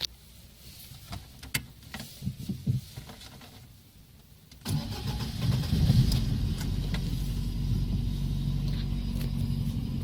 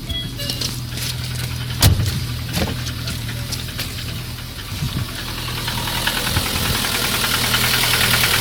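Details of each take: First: Lada 1.6 8-valve 11183 engine, which had a knock when new that quieted once warm and later knocked hot, fixed by swapping CCCD pistons for E; here it catches after a few clicks and settles into a smooth, even, knock-free idle. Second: Piston slap on a Lada 1.6 8-valve 11183 engine: rough idle with uneven hollow knocking about three times a second; knocked from new but quieted when warm, by 20,000 km knocked hot; valve adjustment didn't help, pistons replaced.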